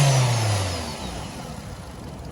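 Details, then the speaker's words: Older Nissan Sentra petrol engine after a misfire repair: brief rev, then an even steady low rumble with no skip; the AC compressor sounds close to failing. "Yeah, now it runs. Oh, there goes the AC compressor's about to come apart, but other than that, we ain't got a misfire no more."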